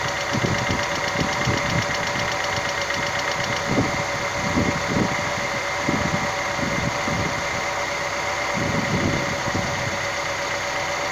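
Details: Idling engine: light, fast ticking of uneven strength over the hum; hydraulic lifter (lash adjuster) tick.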